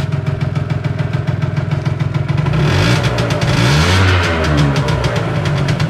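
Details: Piaggio NRG scooter, small two-stroke, after fixing no-spark fault by squeezing the spark plug cap: fast even idle, blipped higher and back, fires cleanly; runs normally.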